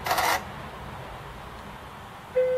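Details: Acorn Archimedes A3010, switched on after a CMOS reset, battery rework and about five minutes powered off: a short bright chime, then a clean steady tone a couple of seconds later; it is a normal power-on beep, and it boots and loads fine.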